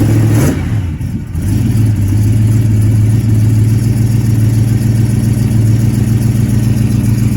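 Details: Model A hot rod sedan just fired with new hand-made stainless headers and exhaust, fuel poured into carb: short rev then deep steady idle, no knocks or leaks; exhaust sound, quieter than before.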